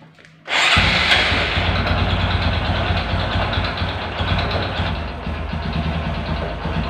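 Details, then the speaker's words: Honda Supra 125 motorcycle with slipping clutch and hard shifting, after clutch adjustment: rough clattery idle with irregular metallic knocking that remains; mechanic attributes it to worn connecting rod and crank bearing, needing engine teardown. "untuk suaranya tetap tidak hilang karena Emang permasalahan ada di stang sehernya dan rumah kacanya itu harus turun mesin ya"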